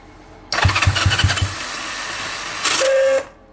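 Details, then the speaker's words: 1978 Honda Twinstar CM185T revival, cranking with choke on after a first cleaning of the ignition points: about five quick cranking strokes and a brief rush, but it never catches. Only a tiny bit of spark, so the points need more cleaning. "We have just a teeny tiny bit of spark now. So, let's clean those points up a little bit better."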